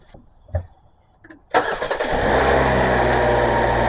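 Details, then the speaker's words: Brand-new Kia K4 with the hood up, before Seafoam is added to the crankcase and fuel: a few light clicks, a quick crank, then the engine catches cleanly and settles into a smooth, steady idle. Normal baseline. "Now that I got the hood lifted, let's see what an engine sounds like before."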